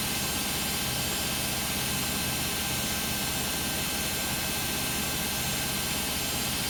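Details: Beko WM5100W 5kg washing machine, found on the street and plumbed in, test-running a rinse with rags: a steady loud roar with a harsh rushing edge runs through a roughly 10-minute spin. Far noisier than it should be; cause not pinned down.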